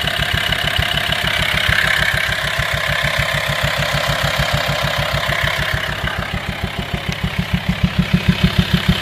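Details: VW T5 2.5 TDI diesel at idle: deep, steady knock about three times a second from the air-filter side, swelling and fading, sometimes louder, sometimes quieter; worn camshaft and tappets, both since replaced.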